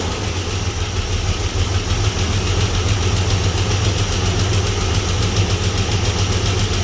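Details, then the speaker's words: Chevy S-10 donor truck engine after bad spider injector flooded gas into the oil, weak oil pressure: low idle, slightly rough and loping, with a faint uneven tick; owner suspects a lifter not pumping up, hoping an oil change smooths it. "Maybe it'll pump that lifter up. Maybe it'll run a little bit smoother."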